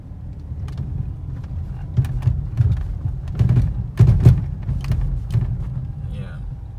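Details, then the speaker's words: 2005 Mercedes C230 driving: dull irregular thumps from the front wheels over road noise; front suspension clunk attributed to worn lower control arms, then replaced. "so this car has been making some clunking noises on the front wheels I will try to drive it a little bit here to make sure that you hear them another one so I believe that this noise is caused by the lower control arms"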